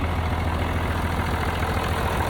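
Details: M35A2 deuce-and-a-half diesel idling after a new fuel pump pickup tube, 24-volt inline fuel pump and two replaced fuel lines (leak fixed): steady, even low rumble, no stumbles or misses. Smooth, healthy.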